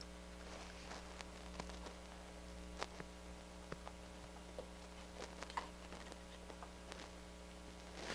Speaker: let's try fm i do have a little scratchiness coming out of the right channel can you hear